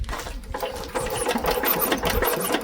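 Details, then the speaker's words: Old Lister engine not run for years, magneto wound by hand: quick, steady ticking with each spark snap crisp and even. There is a good, healthy spark. "yes we have a good spark if you can't see it yeah you can probably hear it cuz you can hear a spark it clicks so that's a really good sign"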